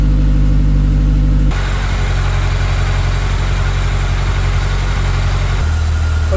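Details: Mazda VVL engine after repair work, near operating temperature with oil pressure settling: a smooth, even idle with no knocks or ticks. The earlier noise is gone and the engine is quiet and healthy.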